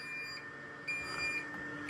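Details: Versaflo air-fed mask: thin high-pitched beeps in short bursts about once a second over a quiet room. A new unit beeped every use for no obvious reason and was returned; cause not confirmed.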